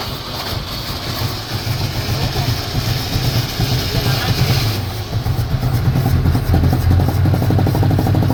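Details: 1983 Chevrolet Chevette, cold start, throttle blipped to keep it running: low uneven sputtering and irregular stumbles, then it falters and dies. The car needs mechanical work. Misfire and stalling.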